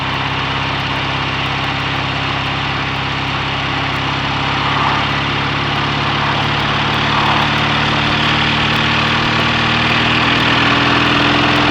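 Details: BSA A65 Thunderbolt twin on short test ride with lights on: steady, even beat, no stumbles; earlier occasional misfire under load from Boyer ignition cured by closing spark plug gaps, with new plugs, resistor caps and battery.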